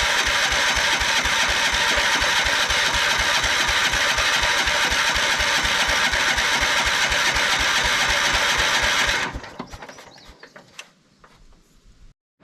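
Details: 1979 Kohler K301 12 hp single-cylinder mower engine: even cranking for nine seconds that never catches; possibly flooded, fuel reaches the carburetor, water beads suspected and jet possibly plugged.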